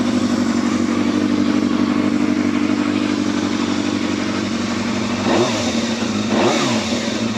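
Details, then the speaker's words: Yamaha Thundercat four-cylinder motorcycle after reassembly, running in a polytunnel before warm-up outside: steady, even idle with clean blips that rise and settle quickly; owner calls the throttle really responsive and the sound lovely. "That's really responsive, that bottle. Sounds lovely, this does."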